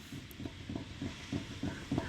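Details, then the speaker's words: 2005 Toyota Tacoma 4WD, about 175,000–180,000 miles, wheel rocked at three and nine with no weight on it. Dull clunks about three a second; excessive steering play, loose inner tie rod. "listen how much play is in the steering i will put you completely to it listen just for the noise do you hear that this is holding it three and nine"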